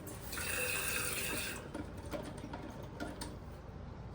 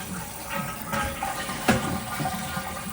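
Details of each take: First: Newly replaced toilet fill valve still running after float adjustment (first turned the wrong way), water level set near the fill line: steady hiss and trickle into the tank, easing briefly then resuming, valve not yet shut off. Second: Toilet flush and refill after fill valve replacement and float adjustment: steady rush of flushing water, then an even refill hiss with no squeal or hammering; bowl water level now higher and tank fills much quicker than before.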